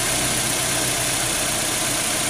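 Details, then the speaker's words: 2003 Nissan X-Trail T30 2.5 with hesitating, misfiring engine, after replacing coils and spark plugs; coil pulled to test, steady even crackling spark hiss with no misses, normal ignition coil spark. "nah ini kalau koilnya bagus suaranya seperti ini tuh itu yang bedain Gimana caranya busi mati dengan koil mati"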